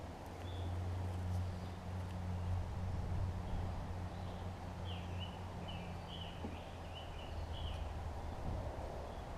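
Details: Old Murray push mower with Briggs Classic engine, rebuilt from parts: steady low, even hum holding speed without stumbles, birds in background; mower engine runs normally.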